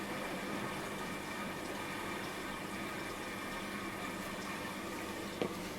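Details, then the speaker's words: Washing machine after fitting a replacement drain pump, filled to the bottom of the drum and put on spin: quiet, steady hum with water rushing and gurgling through the hose, no grinding or rattle; the new pump drains normally. "Right, fit the pump and it should be working now. With a bit of luck. See, it fills and drains now. Fill. Ta-da! Working!"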